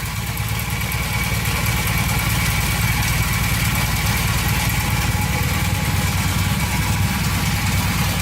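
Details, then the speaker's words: 1982 Honda CM450, first run after sitting: a steady, even low putter at idle with no misses, knocks or hunting, and no leaks so far. The engine sounds healthy. "no leaking yet from anything so far so good the engine sounds really"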